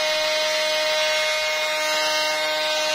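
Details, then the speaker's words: Electrolux Ergorapido 2-in-1 Allergy cordless stick vacuum running with a loud steady whine and harsh rushing hiss, much noisier than normal; excessive running noise, cause not confirmed. "ah ini ada vakumer ya ketika dihidupkan suaranya seperti ini"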